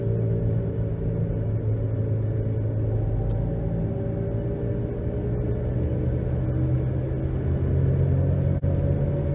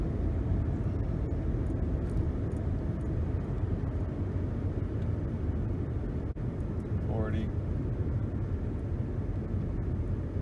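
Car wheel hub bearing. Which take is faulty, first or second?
first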